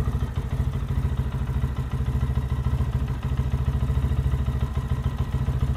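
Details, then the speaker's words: 2023 Lifan KPM 200cc single after valve adjustment, fuel line refilled, checking for leaks: steady, even low thumping at idle with quick clean blips, no ticking or misses; normal idle. "Sounds good. No leaks, no fuel leaks, no oil leaks."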